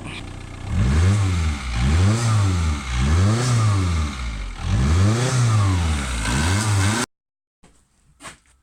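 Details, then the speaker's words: Seat Inca engine with many leaks, before a top-end rebuild, being revved: a clattery top-end noise climbs and falls with each blip and is really bad at the intake; cause unclear. "I can kind of really worry shitty top man noise I know the airgun in my palm about that you put your ear to the intake it's really bad"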